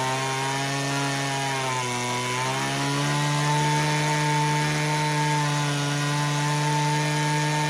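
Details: Homelite HT17 two-stroke hedge trimmer after its carb adjustment screws were set 3 turns out: high steady buzz sags briefly then recovers; idle still hunting and won't stay idling while the carburettor is tuned.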